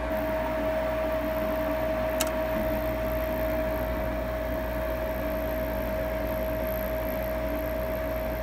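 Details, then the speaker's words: Lennox Elite G51MP 90-plus attic furnace, new combustion draft inducer motor replacing the roughly 8-year-old original that was noisy and worsening; steady, even faint hum with no knocks, rattles or wobble, much quieter than before. "but it appears we've got success the motor is a lot quieter"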